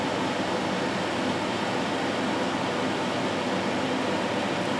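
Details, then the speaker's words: Amcor AC12 12000 BTU portable air conditioner switched to cooling mode, setpoint dropped from 26 so compressor cuts in; constant even hiss and hum, no cycling, rattles or squeals, compressor running smoothly. "obviously you can hear the compressors kicked in."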